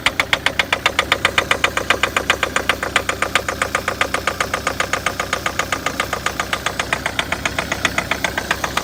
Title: Стук дизеля